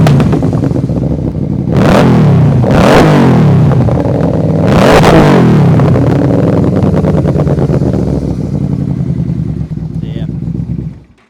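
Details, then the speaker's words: 2008 Yamaha Royal Star Venture 1300 V4 in neutral, with clutch slip and running issues: blipped revs rising and falling heavily with a rough, blubbery exhaust note, gas smell and slight black smoke. Owner plans to rebuild the carbs. Rich running. "see she starts up idle's okay a little rough idle there but you leave this thing idling you can smell the gas you can almost see a little black smoke coming out"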